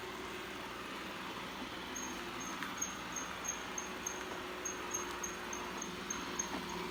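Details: Eufy 11 robot vacuum driving: faint high chirping squeak about three times a second over soft motor hum, from somewhere in the drive.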